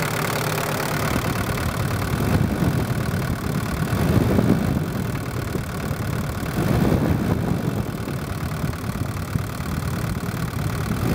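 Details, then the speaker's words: Daihatsu DL turbo diesel during injector pump tuning: clatter rises with each throttle blip, then revs drift down slowly instead of dropping. It is overfuelled with the max fuel screw set too high, so the screw is wound back, and it still hangs a bit. "I can hear there the engine started to hang a little bit and take a little while to drop revs back so I'll just wind it back a touch still hanging a bit"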